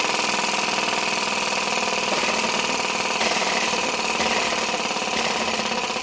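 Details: Little Blazer model flame-licker engine, one of four built, running: a fast, steady chuffing at an even pace and level, smooth and healthy. Cold engines pop from moisture until warmed up.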